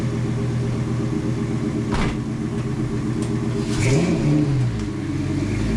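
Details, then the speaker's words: V10 swapped into a Mustang, after rewiring the MAF sensor; catches fairly quickly, then a slight uneven stumble before a short rev blip; mild starting stutter, camshaft position sensor code later found. "A little stutter, but not bad."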